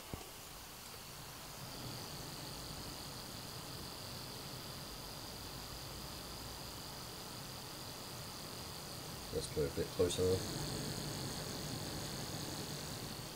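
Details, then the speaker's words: Stock CPU cooler fan near 3000 rpm at idle, no games or applications open: steady airy rush with a thin high whine; still pretty loud, louder still under gaming load. "this is the stock one and this is running I'd also no games no applications open but it's still pretty loud and when it does run a game will render its doubleness its crazy loud"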